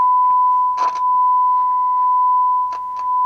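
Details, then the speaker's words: Technics SU-Z1 amplifier, cleaned inside, playing a test tone: both channels work, but short crackling bursts break through the steady tone from dirty switches and pots, before cleaning. "let's turn it on both channels are working just dirty switches dirty"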